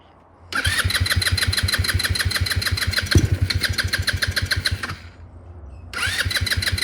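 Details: MotoBravo Roma150 scooter-engined motorcycle, free with no history, being reassembled with what the owner thinks is an automatic choke: small single catches at once, settles into quick even putts, sags briefly, then picks up; running clean and steady.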